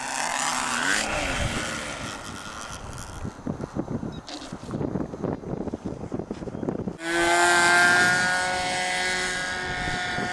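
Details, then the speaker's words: RC plane flying again after a crash landing: rough, wavering drone giving way to a steady high whine with stacked tones; abnormal noise, owner suspects imbalance from a missing piece of plastic, worsening. "Yeah, it sounds weird. Might lose my thought. My mic's better. Because a little piece of plastic is missing. It might be unbalanced."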